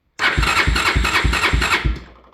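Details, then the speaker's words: 1987 Honda 350D single-cylinder ATV, run after sitting a while, with a new battery: the starter cranks with steady chugs, about three a second, but it never fires. The fuel pump can be heard clicking; lack of fuel is suspected, not confirmed. "okay I don't think we're getting fuel but I'm pretty sure I can hear the fuel"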